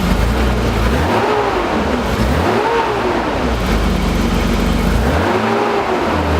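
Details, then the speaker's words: BMW E28 with M30 inline-six after valve adjustment and new spark plugs: revs rise and fall cleanly, no ticking or misfire, smooth as a sewing machine. "Alright, got everything ready to go. Let's see if it still sounds like a sewing machine."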